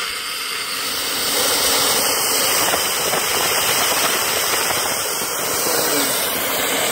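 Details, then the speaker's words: Live-steam boiler blower valve opened with a ring inside the stack, at 20 psi and with the stack removed: steady, even rush of steam with strong hiss and no sputtering; strong draft in the firebox, blower working normally. "It's 20 pounds of pressure. A lot of draft in the firebox."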